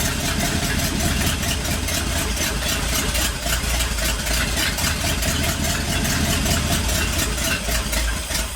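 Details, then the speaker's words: 1959 Ford F100 special delivery panel truck V8 after turning the idle down (was about 1,400 rpm), not yet warm: lumpy loping idle with ragged crackles; owner suspects it needs a tune-up, maybe plugs; rough idle. "it might need a little bit of a tuneup mhm I don't think it sounds bad though"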